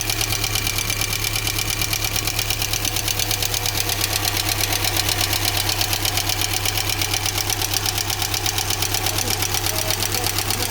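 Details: GAZelle Business with UMZ-4216 petrol engine, 140,000 km, idling: loud, fast, even metallic valve ticking; almost no oil reaching the rocker shaft, possibly clogged channels or wrong gasket.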